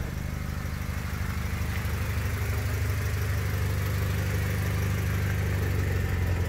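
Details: 1999 Honda Civic EX, D16Y8 engine with compression loss, blue smoke and oil burning after spirited driving. Steady idle with a light, regular tapping about three a second, like a bad rocker or lifter; the owner suspects piston slap from worn cylinders, unconfirmed. Rebuild planned.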